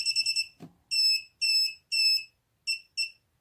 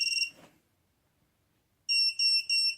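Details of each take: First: Mobula7 FlySky quad on battery power, arm switch set to middle position with Turnigy Evolution transmitter: quick run of high chirps then evenly spaced short beeps about twice a second; flight controller signalling not armed, some fault. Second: Mobula7 FlySky flight controller plugged into a computer by USB before the STM32 virtual COM port driver is installed: a short high chirp, a pause, then three quick high beeps; normal power-up tones.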